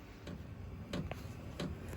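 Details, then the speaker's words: Vevor diesel heater (12 V, heating a greenhouse/chicken coop) running: sharp clicks about every two-thirds of a second over a low hum, from the metal fuel line vibrating against something; clicking is not supposed to happen. "You can hear it clicking, and it's not supposed to actually click. This is um something that if this was in your camper, you would not want to hear that click. All it is is a fuel line that's touch that's vibrating."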